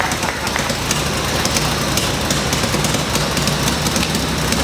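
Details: 1977 Porsche 911S Targa barn find, not run in about 7 years, just started after a timing correction: engine runs continuously with a busy, slightly uneven chatter while warming, not yet at operating temperature; running with a slightly rough idle.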